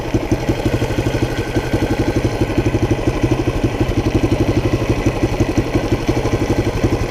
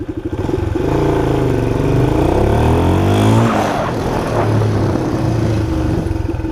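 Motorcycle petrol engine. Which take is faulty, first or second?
first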